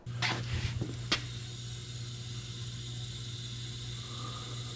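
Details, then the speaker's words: GMC 702 V12 cylinder under leak-down air pressure: steady hiss with low hum as air bleeds into the crankcase; broken or collapsed piston rings. "It's going right into the crankcase. sounds like a snake. So we got a busted ring or two."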